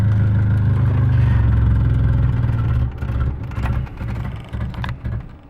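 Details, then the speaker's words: KA running rich, started cold before the fuel pressure regulator is replaced: deep steady idle for two seconds, then the rpm sags and the engine dies into uneven coughs; stalling after start, regulator suspected. "oh god it died try again this car started right up okay this is so hard with one hand guys"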